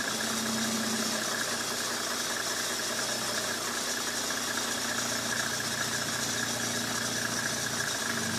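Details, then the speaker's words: 1995 Mercedes E300 diesel: steady quick clatter at idle sitting noticeably above normal tickover with no dip; idle speed adjusted too high via the slide on the bolt. "Yeah. Right now it's adjusted too high. You hear the idle's too high."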